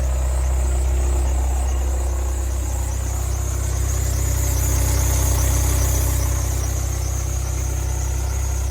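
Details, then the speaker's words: VW Passat B8 EA288 diesel, 152,000 km, cold idle: thin high chirping squeal over the diesel clatter; worn timing-belt idler pulley bearing, accessory-drive roller also possible; replacing the timing belt kit fixed it. "під капотом на холодну було чуто дуже й дуже такий неприємний різкий звук скриготіння цвіркотіння чи чогось такого"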